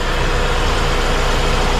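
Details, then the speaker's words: 1980 Toyota Corona RT132, carbureted 18R engine, 4-speed: loud, steady idle rumble with an even hum on top from the running AC, which has an automatic temperature cut-off; no knocks. Healthy normal idle. "Ini kenceng karena suara AC nih"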